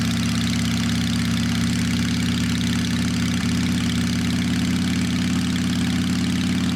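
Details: Motorcycle cleaned up and tuned up after sitting through winter with drained fuel: steady, even idle with no knocks or misses, purring like a kitten; normal idle.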